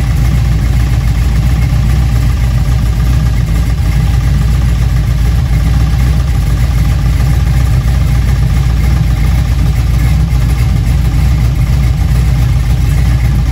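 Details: Junkyard LM4 aluminum 5.3 LS V8 on a stand with a Tick Performance Street Heat Stage 2 cam (229/235, 111+2, +10° overlap vs stock -37°). Loud, deep idle with a fast, even beat and almost no lope; the owner thinks the idle sits high.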